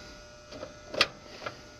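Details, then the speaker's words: American Standard condenser unit that kept tripping the breaker and running hot, just after weak capacitor replaced with new 35.5: sharp metallic ticks about twice a second from a loose part rattling inside, about to break loose and possibly clog the system. "and uh let's see if that helps with our amp draws but i know this right here y'all can hear it rattling yeah that's all about to break loose gets sucked through the system probably gonna clog this up here soon"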